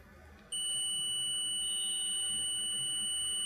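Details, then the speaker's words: Phone speaker tested with a digital multimeter on the continuity beep setting reads 29 ohms, within the expected 16–32 ohm range. A steady, unbroken continuity beep confirms the speaker is good. "अभी display पे 29 reading दिखाई दे रही है और continuity की आवाज भी आ रही है। इसका मतलब क्या, ये स्पीकर सही है।"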